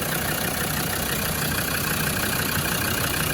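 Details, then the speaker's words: Land Rover Defender 110 TD5 double cab diesel, engine running: even, steady idle with soft regular clatter, no misfiring, hesitancy or overheating; clutch pilot bush quiet when cold, possibly a recent new clutch; healthy engine. "okay a quick video of this 110 td5 double cab engine running"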